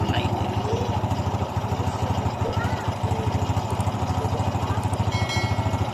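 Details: Honda XRM 125 after rebore and new piston, fixing piston slap and white smoke: steady single-cylinder putter at idle, firing evenly with no knocking or slapping.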